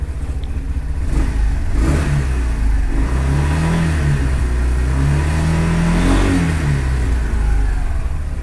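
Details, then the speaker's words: 2022 Kymco XTown 300 scooter after installing a new variator with 17 g weights and a new clutch: revs up quickly and smoothly with only the exhaust heard; the earlier marble-like rattle at idle, blamed on the old variator, is gone. "now it's like silent all I can hear is just the exhaust and it revs up a lot faster than before"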